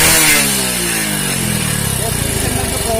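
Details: Hero HF Deluxe single-cylinder bike after decarbonising to cure a crank-like engine knock noise (appears after about 3000 km): revs fall back to a steady idle with an even beat, no knocking or rattle; sounds healthy.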